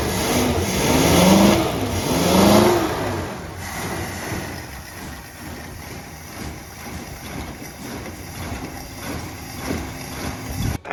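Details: 1966 Plymouth Fury III 318 V8 after 25 years sitting, with freshly rebuilt carburetor: after a couple of blips it settles into a lumpy, uneven idle with irregular misses; rough idle persists, plugs to be changed next and possibly wires.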